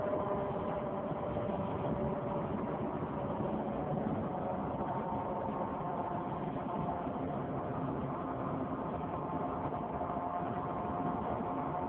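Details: 2003 Saturn Vue 4-cylinder AWD, check engine and coolant lights on: while driving, a steady muffled drone with a faint hum from the front driver wheel area that follows road speed; hub already replaced without fixing it, source unknown.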